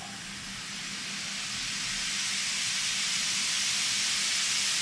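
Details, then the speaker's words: Nissan 300ZX twin turbo boost leak test, engine off, piping pressurized to about 20, with the blow-off valve vacuum reference disconnected: a steady sharp hiss rising slightly as pressure overcomes the diaphragm. Normal venting, and the only leak found. "the positive pressure in my piping is overcoming the diaphragm in here, and it's causing it to open up and release air."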